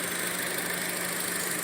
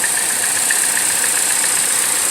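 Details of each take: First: 2014 Chevrolet Cruze LTZ petrol engine idling smoothly with a steady hum and even airy hiss, no stumbles, after replacing the damaged valve cover that was drawing air and causing a whistle atop the engine and codes P0171, P1101. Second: 2014 Chevrolet Cruze LTZ idling: steady high-pitched whistle from the top of the engine over a light ticking idle, a vacuum leak from a stuck-open PCV valve; valve cover replaced as the fix.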